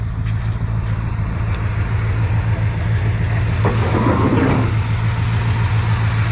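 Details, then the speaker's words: Squarebody Chevrolet C20 V8 truck started after sitting for years, fresh oil: deep, steady idle with an even beat and no knocks, ticks or misses, still smoking; smoother and quieter than with the old oil. "still smoking a good bit but it is running and i believe it's all eight sounds nice and smooth way quieter than it was with the old oil so that's nice it's an improvement"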